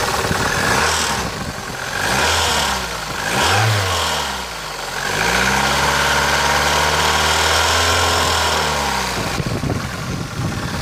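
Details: Opel Ecotec 2.0 XEV engine idling and revving: a knock comes through the running noise and follows engine speed; the engine started knocking recently and the owner wants to find the cause, which is still unknown.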